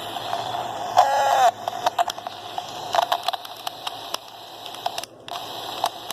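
A steady mid-pitched tone with scattered crackles and pops over a hissy background: the radio is putting out an abnormal noise, cause unknown.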